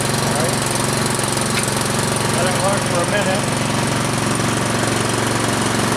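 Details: Troy-Bilt Storm 2840 electric-start snow blower, just started on choke after three primes and then warming up: a steady, even single-cylinder chug at constant speed with no misfires or knocking; normal warm-up idle.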